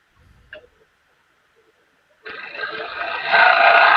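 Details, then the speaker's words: Lathe turning a live oak bowl with a thin outer wall, about 1/8 to 5/16 inch: harmonics make a loud, harsh high squeal as the scraper bites and the wall flexes away from the tool. "you hear that squeal yep that is harmonic harmonics being set up by harmonics being set up by once the wall once this outer wall becomes somewhat thin the bowl actually does this"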